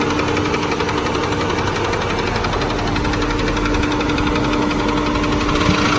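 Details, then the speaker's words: Ford Freestar 4.2 L V6 with 220,000 miles, started knocking right after a new transmission, no warning lights: smooth steady idle with quick light tapping about four per second, top-end tap rather than rod knock. "it's idling dummy dead on it's smooth but as you can clearly hear its tapping"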